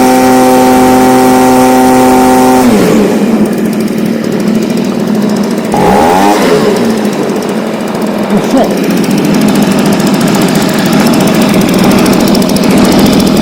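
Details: Stihl BG55 two-stroke leaf blower on a new replacement carburetor: brief dip, then steady high-pitched scream with clean even revs, no surging or bogging; normal high-speed run.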